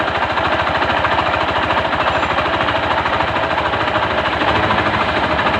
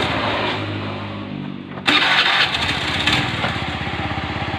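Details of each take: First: Honda Beat FI scooter with a noisy engine first suspected at the CVT: rough, rapid knock about three per second from the front of the engine; a worn crank main bearing knock. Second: Honda Beat FI after repair with original block and piston kit, following worn crankshaft bearings: the starter whirs, the engine catches at once and settles into an even idle with steady firing; normal start and idle.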